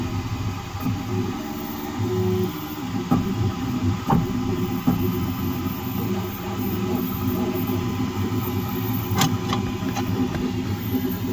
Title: Creality k1 max banging noise on z axis movement